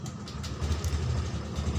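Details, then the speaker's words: Honda Scoopy injection keyless scooter started after its weak battery was found: soft, low, steady putter at idle. Normal idle; battery needs replacing. "Coba kita hidupkan jika tidak ada masalah yang lain selain akinya Yang tekor ini Seharusnya motor bisa hidup"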